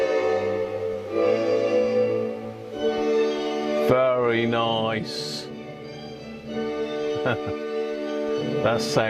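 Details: Hacker Sovereign RP18 radio during repair of AF114/AF117 transistors and electrolytic capacitor replacement: music plays clean and full, with no crackle, hum or distortion.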